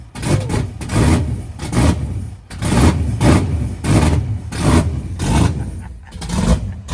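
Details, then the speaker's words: Fox-body Mustang with 408W Windsor stroker, 12.5:1 compression, solid roller cam, first fire: big lumpy V8 barking through repeated blips, revs climbing slowly and falling off lazily; owner feels it needs more timing. "Feel like I need more timing. Man, that thing sound nasty. How about that? How about that? A little lazy."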